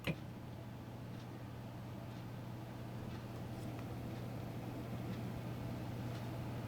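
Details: Sony TC-252D reel-to-reel deck, universal voltage, set to 117 V, first power-up smoke test with no tape loaded; steady low hum with faint light ticking, even and unchanging; transport motor running normally (deck reported to run too fast).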